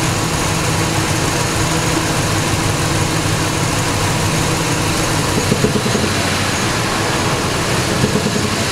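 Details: Ford Triton 5.4 V8, neglected about 100k miles without oil changes, sludge flushed, 10W-40 oil, metal shavings found in pan: dull knock buried in a rough drone when revved, bottom-end knocking, cause not found.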